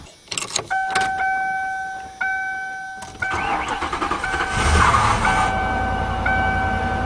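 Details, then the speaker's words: 1997 Lincoln Continental V8, cold start: uneven, pulsing stumble from one dead cylinder, same as the day before; the coil pack was suspected, and pulling plug wires one by one traced the dead cylinder. "all right is running exactly the same as yesterday yeah you can hear that pulsing Miss"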